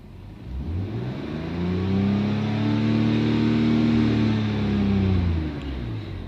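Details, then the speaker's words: BMW revved and settling back with a rough, hollow edge; massive vacuum leak, short-term fuel trims maxed, lean and misfire codes. "so as you can see obviously we got a massive vacuum leak and the car did not like that because now we're in open loop so lean codes misfire codes all kinds of crap on this car"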